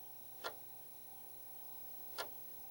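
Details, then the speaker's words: Commodore 1541 floppy drive formatting a 5.25-inch disk: single crisp clicks roughly every 1.7 seconds over a faint steady hum, each click the head stepping to a new track; normal formatting. "one of those clicks is a new track you can hear that it's so far at least it's formatting this disk"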